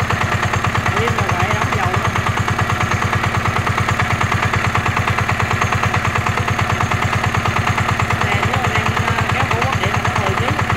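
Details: NF19 single-cylinder diesel, original and unmodified: steady even chug with evenly spaced firing beats and no misses or knocks; healthy, strong running.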